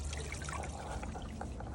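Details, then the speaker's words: Hygger pond pump after bleeding, plugged in for real with bog filter bypassed: steady, even trickle through the pipework with no air gurgle or surging; primed and flowing normally. "So now we can plug it in for real. Tighten that back up. And you can hear how it's flowing through here. So that's successful."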